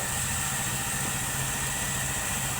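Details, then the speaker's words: Honda Pop 100 motorcycle, recently got running after carburetor fix, after days unused, idling: steady metallic rattle over the beat that stops when revved and returns; some suspected cam chain or piston, actually loose magnets inside the flywheel rotor. "Olha só o barulho. Quando eu acelero, o barulho para. Parou o barulho. Voltou o barulho."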